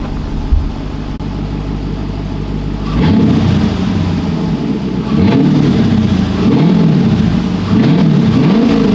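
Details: Car back running after over two years sitting, with the exhaust only partly installed and driveshaft not yet fitted: steady idle, then repeated throttle blips, deep note rising and falling cleanly, no knocks or misses; normal revving V8.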